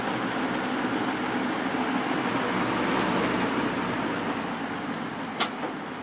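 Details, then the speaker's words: Early-1980s Sears box fan with plastic Marco motor, once seized, cleaned and oiled, grills refitted: steady soft airy whoosh with an even hum and no rattle, buzz or grill vibration; running quietly and healthy. "again this thing sure is quiet"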